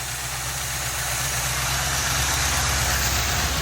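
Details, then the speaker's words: 1984 GMC truck with six-cylinder engine, just after transmission install, exhaust donuts fitted: steady idle with faint quick ticking about three a second riding over it; light valve train noise. "well I got her sitting here running the car speeds to okay more careful no crowd handy there I hear a little valve train noise"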